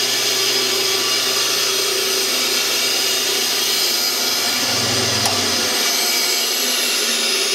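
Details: 1948 Delta/Rockwell Milwaukee 14-inch band saw after a new tension spring, urethane tires, and shims and washers to stop the cover rubbing: a steady high whistle with an even, smooth run and no rubbing or thumping.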